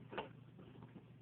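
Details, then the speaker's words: Rival basic drip coffee maker, about a month old, makes a sharp click with fainter ticks over the brewing gurgle, quieter than when new; the owner guesses the sound comes from a spring. "what is that sound I got this about a month ago and that sound was a lot louder so in about a month that sound you hear has become better but still I don't think it's right for a coffee maker to make this"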